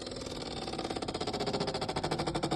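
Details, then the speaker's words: Side-by-side refrigerator: a fast, steady pulsing buzz of about ten beats a second from inside the fridge. The owner suspects a motor inside, and the noise stops when a hand is pressed on it. "इसके अंदर कोई motor है कुछ है जिसकी वजह से आवाज आ रही है।"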